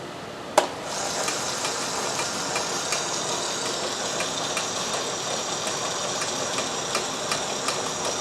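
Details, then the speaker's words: Boring bar cutting a broken N14 Mini Cooper S engine block for 0.50 mm oversized pistons: steady high metallic cutting hiss with faint regular ticks, normal cut; the sound stops when the bar clears the bore. "you make sure it goes through the bore, you'll hear it stop cutting. As soon as it does, you set the stop"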